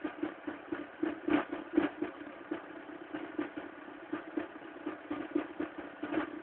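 Cold engine idles with an uneven light clatter, roughly four ticks a second, over a steady mid hum; cause unclear.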